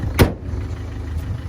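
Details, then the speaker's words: Peugeot 1.4 HDi diesel after replacing a shredded auxiliary belt that damaged the crank sensor wiring and caused a bad misfire: click, then steady even low idle rumble, no misfire, much smoother than before. "it actually sounds pretty smooth compared to how it used to sound so I think that is actually successful or so far so good"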